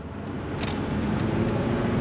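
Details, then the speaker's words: 2007 Volvo C30 2.4 litre five-cylinder petrol automatic, front-wheel drive, on the road: engine note builds evenly under road and tyre noise as it pulls, no hesitation or roughness; healthy acceleration. "Oh, she pulls well. I'm quite smitten with this little C30."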